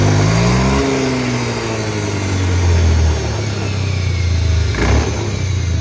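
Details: Honda Beat FI scooter, CVT not opened in 4 years, before repair: revving with a rough, rising whining drone under the engine note; CVT whine, later cured by replacing a seal.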